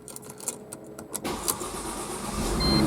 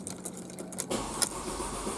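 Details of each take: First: Mercedes C230 that cranked but would not start, after fuel pump replacement: a few slow cranking beats, then the engine catches and settles into an even idle while a cabin chime beeps; the bad fuel pump was the cause. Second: Mercedes C230 with a crank-no-start: steady starter cranking with no catch or firing, and the gauge shows no fuel pressure; the fuel pump proved bad and was replaced.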